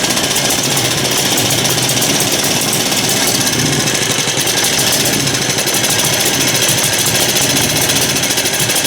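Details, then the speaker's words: Lauson small single-cylinder engine, possibly flooded, throttle worked by hand: fast harsh uneven rattly chatter that never settles; runs rough, owner suspects dirt in the carburetor. "well sounds like it's got some dirt in the carburetor"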